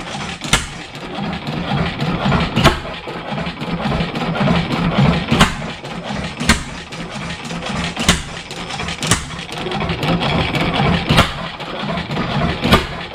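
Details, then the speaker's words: 7HP Stickney stationary engine, revived after decades of sitting, running without a muffler: slow uneven firing, one sharp bang about every second with weak coasting between, won't pick up; owner suspects an air leak, then finds the hot/cold choke setting wrong. "it was running better before yeah it's not picking up like it fire still I can't can't feather it back"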